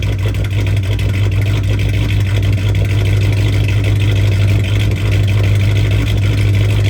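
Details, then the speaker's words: 2006 Chrysler 300 5.7 Hemi, cheap purchase needing work, engine runs rough on a heavy, lumpy uneven rumble at first start on added 91 fuel; previous owner added about 3 quarts of oil, owner suspects fouled spark plugs. "That didn't sound too good. I'm sorry. That thing is powerful."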